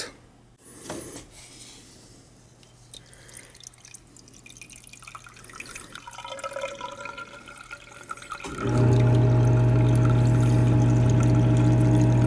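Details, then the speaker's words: Central AC unit leaking water, condensate drain tested with tap water: trickling and dripping, then loud even flow and condensate pump hum; drain clear and flowing freely. "I can hear it draining. That's better. I'm gonna put some water in there until I hear the pump run. It's definitely draining."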